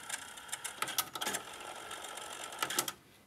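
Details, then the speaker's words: Denon DRM-710 cassette deck after replacing broken square 1×1 mm drive belt (30 mm half-length): light, even high-pitched rewind whir with a few sharp mechanism clicks; works normally. "Ну вот и весь ремонт. Честно говоря, времени потратил больше на поиск пасека, нежели на его замену. Все работает. Перемоточки."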